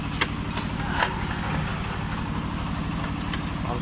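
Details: Honda Vario 125 (old model) with the CVT roller housing disabled to isolate the noise; a quick, steady knock rides on the idle, and a worn connecting rod is suspected, possibly the piston.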